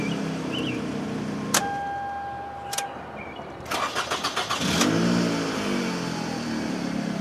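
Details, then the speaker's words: Toyota Camry that had a crank-no-start, after an aftermarket fuel pump failed and a used OEM pump was fitted: a few ticks, brief cranking, then it starts cleanly and idles evenly. "That's when I suggested to buy a used OEM pump. Because a lot of times that's better than some of the aftermarket stuff. She runs now, baby."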